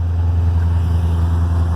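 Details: 1984 Corvette with a new battery, front gasket leaking down onto the exhaust manifold and needing replacement; smooth, deep, even engine drone with a steady low beat and no knocking or ticking: normal running.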